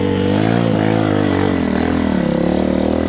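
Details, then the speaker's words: Hawk 250cc motorcycle after wiring harness replacement, at half choke: uneven, wavering single-cylinder note that sags and labours instead of holding steady revs; bogging from too much fuel, choke/carburetor suspected faulty. "See how it runs with a half choke, it bogs out. It's giving it too much fuel."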